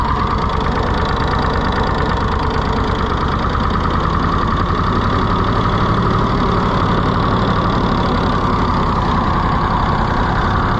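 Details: Rusty, neglected auction-bought Ford 4000 tractor just started: loose, irregular chugging at slow unchanging speed with stumbles; runs rough, governor seriously wrong with no throttle action.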